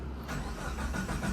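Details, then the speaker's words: Suzuki APV (MPV) that keeps blowing a fuse, no check-engine light, key on then start: even churning cranking that never catches or speeds up; engine turns but won't start with the fuse blown. "Ito daw ayb namumutok ang fuse tapos hindi umaandar. Pagka pumutok na ang fuse hindi na siya umaandar."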